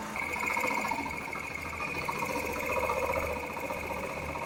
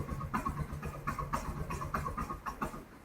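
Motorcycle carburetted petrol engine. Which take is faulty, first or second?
second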